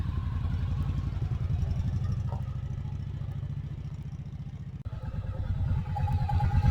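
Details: Yamaha Virago after front brake pad replacement and rotor smoothing to fix squeal: engine pulses steadily at low speed while braking, no squeal or scraping from the front brake; stops well.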